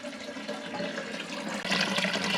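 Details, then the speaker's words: Toilet cistern test flush after replacing broken internals with a Thomas Dudley fill valve and syphon, overflow set above the water line: full gush of flush turning into steady refill hiss; normal flush and refill. "And there you go. Returning back up."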